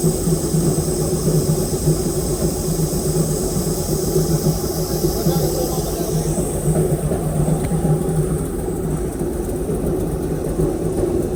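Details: Airboat engine with an upgraded cam, previously idling about 700–750 rpm, warming up before carburetor mixture-screw adjustment with a vacuum gauge: deep, steady, even idle, no misses or knocks; runs smooth.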